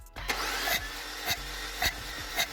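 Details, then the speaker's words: Mini with 1.6 L turbocharged engine misfiring on cylinder 2, during compression test while cranking: sharp hissing puff about twice a second over an uneven rhythm; head gasket blown between cylinders. "Ось такий звук дає пробита прокладка ГБЦ."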